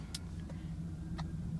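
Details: 2007-2013 Cadillac Escalade ESV idling just after the failed starter motor was replaced: smooth, even low rumble with no clicking or grinding; the engine started and idles steadily and sounds healthy.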